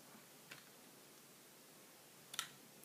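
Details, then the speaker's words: Russian MARZ 2.5D model diesel engine, still very tight, turned over slowly by hand: sharp isolated clicks, more on the rebound going back clockwise; cause unknown. "a sort of click can you know trying to knock off the table it seems to do it more on the rebound that is to say going back clockwise rather than to clockwise"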